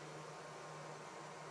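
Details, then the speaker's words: Prusa CORE One 3D printer, chamber fans set to 100%, mic about a meter away: loud steady rushing whoosh with low hum underneath, constant; normal fan noise at full speed. "so this is without noise suppression you can now hear how loud the chamber fans are"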